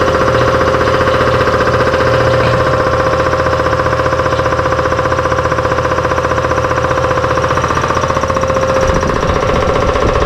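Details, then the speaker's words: Newly installed shop air compressor, first run: steady heavy knock about three a second over loud clatter; it runs but the knocking noise is disliked, cause not yet found. "yeah I definitely do not like that noise but it's running"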